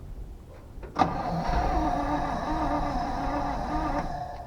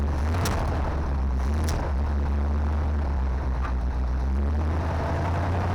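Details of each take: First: 1970 Chevy C20 dump truck, eight-cylinder, points ignition, revived after sitting: three seconds of sluggish, dragging cranking with a lazy, uneven beat and no firing; battery running low, charger needed. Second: 1970 Chevy C20 dump truck V8, sat 20–30 years, first start with fresh gas: deep, steady rumble with even beat, no knocks or misses, no fuel pump leaks; normal idle.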